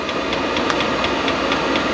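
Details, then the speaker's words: Chinese diesel heater on first run, unboxed before install in truck camper: steady fan rush with quick even fuel-pump ticking about four times a second, getting louder as fuel reaches the burner and it heats up. Normal start-up. "it's heating up you can hear it ticking up getting louder and louder fuel's getting into burner getting ready to take off"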